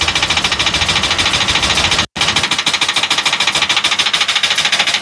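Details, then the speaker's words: 2013 Ford E450 6.8 with misfires detected on cylinders 1, 6 and 10, slow to start: loud, sharp metallic rattle about twice a second over a weak engine note; mechanic suspects a stuck-closed valve. "ahí como como tiempla wow o el ruido de este motor pueden escuchar parece matraca cuando se queda cerrada Ah se queda cerrada la válvula de Misión"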